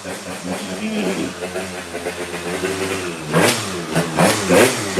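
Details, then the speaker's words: 90cc Jog two-stroke scooter race motor, 220 psi compression, improper stroke/rod setup, revving in uneven rough surges; sounds wrong, and it soon overheated and locked up. "oh sounds weird"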